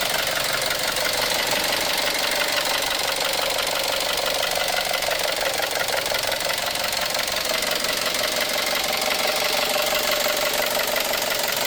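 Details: 2012 Chevrolet Cruze 1.4L turbo Ecotec at idle: a steady, fairly quick diesel-like metallic clatter. Serious internal damage is suspected, possibly lifters, timing or rod knock; the source is unconfirmed.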